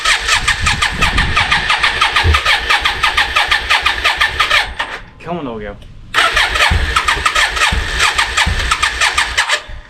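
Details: Yamaha Virago 535, unused since 2003, after carb clean-out, test-ridden around the block: idles far too high with an uneven, stumbling misfire and brief dips; owner suspects carbs or a dead spark, unconfirmed.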